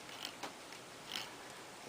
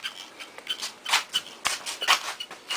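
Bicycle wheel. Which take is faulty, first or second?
second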